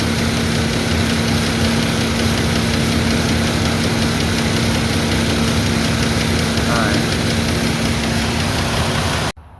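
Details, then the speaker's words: 2001 Mazda 626 2.5L idling before cylinder 5 injector replacement: rough uneven lope with a missing beat; misfire from bad fuel injector on cylinder 5, short-term fuel trim bank 1 around +30, lean. "All right, we're back on the 01 Mazda 66. Going to replace that bad fuel injector on cylinder 5."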